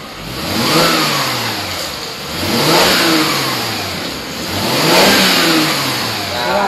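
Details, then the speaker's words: Mercedes-Benz E300 W212 after exhaust restoration fixing a small leak at the joint between rear box pipe and muffler: three smooth rev-ups and drop-backs, even clean exhaust note, no puffing or ticking at joints; normal sealed exhaust. "kalau ini kalau ini udah yakin nggak ada yang namanya angin kebalik dari knalpot Ini hasilnya Udah Bagus udah bagus banget"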